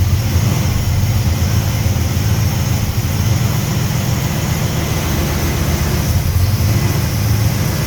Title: hard start then surging idle